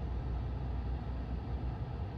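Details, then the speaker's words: 2012 Dodge Journey at idle after replacing the HVAC blend door actuator: steady low engine rumble with no more clicking from behind the glovebox; problem solved. "all right so let's start the car and see what [Music] happens still waiting no more sound"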